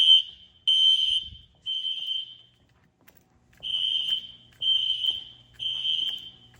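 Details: Fire-Lite ES-200X fire alarm system (replaced a 6808) on test: shrill high horn blasts in sets of three with pauses, evacuation pattern; the horn is heard over a SpectrAlert, which is barely audible; alarm signal normal.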